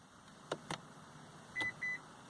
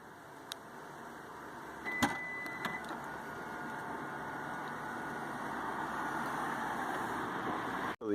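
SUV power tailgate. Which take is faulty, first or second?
first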